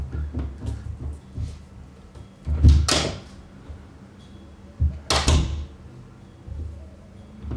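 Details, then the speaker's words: Interior home door pushed shut against its frame after two felt furniture pads were stuck on the top edge to fill the gap: only dull thuds, no rattle. It previously rattled in wind; the noise is now gone. "No more noises. It's true, the noises are gone."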